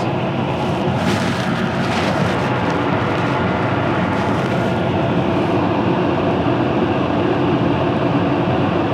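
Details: Whole-house AC outdoor condenser fan after getting it working, with the AC compressor still not kicking on: steady even whoosh of airflow, no knocks, scraping or wobble; fan spinning smoothly.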